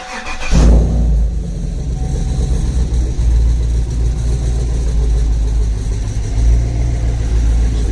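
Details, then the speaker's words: V8-swapped Chevrolet Colorado, newly installed exhaust with mild leaks, at startup and idle: deep lumpy cam idle with a loose metallic clang underneath from an exhaust V-band clamp not fully seated and rattling. "yeah, you can hear the clanging of the V-band down there that's not fully seated. That's that noise right here."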